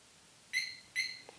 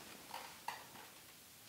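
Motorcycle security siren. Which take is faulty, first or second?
first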